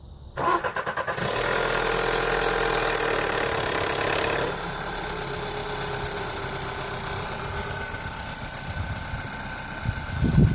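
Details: Audi A1 TFSI petrol on cold start: harsh metallic timing chain rattle for about three seconds before settling to a steady idle; chain replaced twice in 3.5 years, owner now suspects the hydraulic tensioner alone is at fault.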